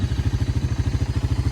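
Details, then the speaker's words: Honda FourTrax TRX300 ATV, auction machine revived (brakes still not working): steady even single-cylinder putter, about ten firing pulses a second, no misses or knocks; healthy idle, "sounds like a sewing machine". "so no brakes at all but I I am happy this thing runs perfect sounds like a sewing machine sitting there running"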